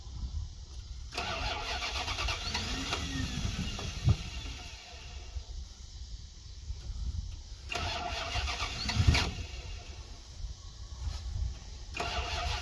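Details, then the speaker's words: 1990 Dodge Ramcharger 2WD, sat in a junkyard since about 2014, cranking after brief earlier runs: repeated bursts of steady cranking, engine never runs on its own; owner suspects bad gas or timing slightly off rather than the computer. "I'm wondering if maybe timing change war or something little timing off maybe it's not actually computer"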